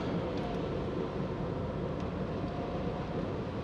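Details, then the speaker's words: 2014 BMW F10 520d xDrive at 140,208 km, driven at about 30 km/h in rain: steady coarse rumble like rolling stones from the rear, similar to a hub bearing but judged a failing rear differential bearing. "돌이 굴러가는 소리가 나네 뒤쪽에서 하는데요 제가 들었을 때는 이게 허브베어링 소리처럼 소리가 나는데 허브 하니까 달라요 디프랜차 소음이 맞을 것 같긴 해요"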